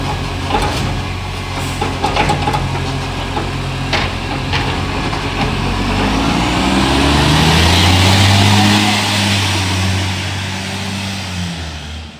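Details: Euro6 diesel garbage truck on weekly collection, revving under work with a sharp puffing tick that quickens with engine speed; exhaust leak.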